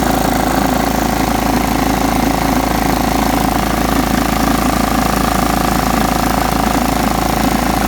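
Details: John Deere STX 38 riding mower after a little tweaking and a new battery: it cranked right up and mowed, with a steady, even engine drone at constant pitch and no knocks or misses. Normal running.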